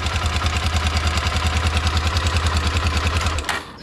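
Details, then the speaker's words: 2006 Honda CBF 250 single-cylinder, about 44,000–46,000 km, idling with light metallic clatter from the top end; timing chain confirmed to need work. "Na pewno rozrząd do roboty na 1000%, bo to już jest sprawdzone."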